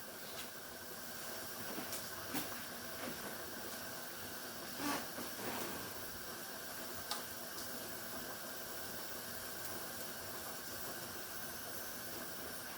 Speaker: Now you can hear the whistling. That's letting you know that that steam and that pressure is building up.